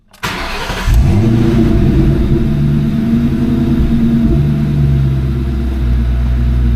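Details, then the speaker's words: 2004 Ford Mustang GT, hot restart after about two minutes heat soak, after evap canister purge valve replacement: catches quickly, flares, settles to steady idle with no dip or bog; hot-start stalling fixed. "So far so good. Didn't bog down at all."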